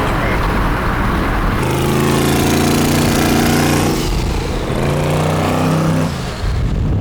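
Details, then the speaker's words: Twin-turbo LS V8 in a Chevy S10 drag truck, untuned on boost: under load it sounds ragged and uneven, as if a couple of coil packs were unplugged; the ECU still assumes vacuum, so it leans out and misfires in boost and needs a tune. "So right now what's happening is when it goes into boost, it just leans out. So as soon as we get in, because the computer's doesn't know about boost yet. The computer still thinks it's a vacuum."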